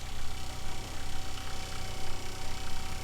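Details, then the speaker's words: Kohree 12V 3.5 GPM 55 PSI diaphragm water pump installed in an RV, measured around 68–70 dB, much quieter than the Shurflo it replaced: low, steady pulsing hum, even beat, softer vibration, no rattles or knocks; normal running. "that is a huge difference in noise level and it sounds pretty apparent to me here just listening in the vibrations are a lot softer not nearly as loud"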